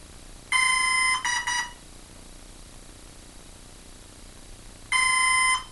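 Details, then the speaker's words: Hobbyking F4U Funfighter RC plane bound to a Turnigy 9x: high-pitched ESC beep bursts of about half a second with silent gaps; motor not arming and throttle does nothing while other controls work. "two geez it sounds good sounds like it hmm that don't sound right it should have just went see what the throttle does and the throttle is doing precisely nothing"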